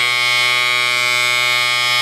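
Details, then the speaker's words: M35A2 deuce-and-a-half, low air pressure warning buzzer with key on and the buzzer reconnected. Loud, steady, harsh buzz that sounds until the air compressor pressurizes the brake system to about 60 psi. "Okay, so that sound is basically a safety measure for the air pressure in this thing. If your air pressure drops below, I think, 60 psi, then that buzzer will go off."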